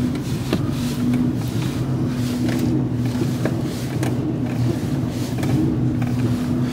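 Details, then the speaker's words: Car driven slalom on the road with dull klok-klok knocks every half second from the front left suspension. The clunk was unchanged after an attempted fix; owner suspects the drive shaft or tie rod end, cause undetermined. "Klok, klok, klok, klok. Ist auf jeden Fall vorne links."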